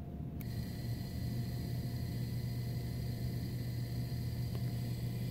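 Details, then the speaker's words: Heil furnace draft inducer motor after replacing the failed squirrel-cage-side bearing that squealed; now runs with a smooth, steady low hum and no squealing. "a nice little hum of the motor you can't hear any more squealing coming out of it"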